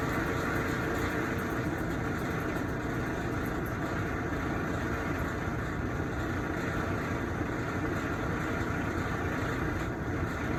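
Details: Kenmore top-load washer, running: steady rough grinding drone; persists after replacing basket drive assembly, clutch, agitator dogs and common wear parts, quieter after storage; cause unknown.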